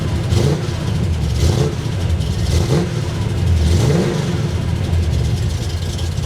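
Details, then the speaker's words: Oldsmobile Cutlass small-block Chevy V8, low idle, revs blipped: rising slightly ragged with faint valve train rattle; valve cover removal found a broken valve spring. "Something doesn't sound right. Doesn't sound right."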